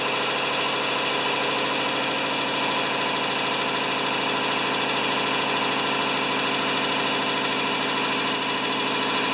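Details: Powermore (Yard Machines) lawnmower, brought in for starting then stalling: even, buzzy single-cylinder drone at constant speed with no surging or misses; runs smooth and healthy.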